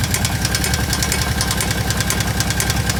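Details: Kawasaki KVF750 ATV V-twin idling: loud, hard knock about three per second, seemingly from the rear cylinder; valve tappets checked and fine, cause unknown.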